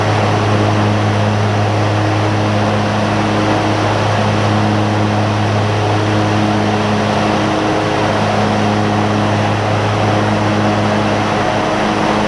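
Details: John Deere ZTrak Z915E, Kohler V-twin, sat 2 years; after carb clean fixed a sticky solenoid causing no fuel. Warm engine gives a steady even drone and smooth hum, no knocks; normal running.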